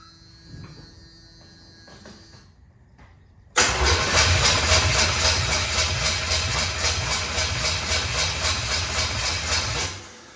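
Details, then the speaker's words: Camaro Z28 with new Blueprint 350 V8 and Edelbrock carburettor, first start attempt with no fuel yet in the float bowls: starter cranks steadily with even compression pulses about 220 a minute but never catches; cranks, no start without fuel. "Well, it cranks over. So let's get some gasoline. Fill the float bowls up."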